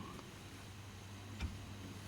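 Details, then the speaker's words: Dodge Charger SRT8 with aftermarket Wavetrac limited-slip differential, on ramps with parking brake holding the axles, input flange rocked back and forth: one dull low clunk as the slack takes up; excessive backlash, also bumps shifting Drive to Reverse. "has a lot of play back and forth between when it locks the axles into starting to try to move them in one direction and going into the other direction so you can hear that clunk in there too"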